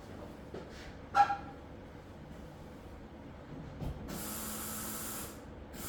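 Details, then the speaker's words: Chevelle with new fuel lines being flushed for debris before the floats: after a few clicks, the pump motor's tone changes to a faint steady hum with soft hiss as it starts to pump and load; normal. "there you can hear the ch ch the the change of the tone of the motor uh that means that you're starting to pump that's starting to load"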